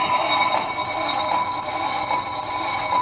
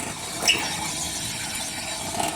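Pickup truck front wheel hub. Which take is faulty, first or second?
second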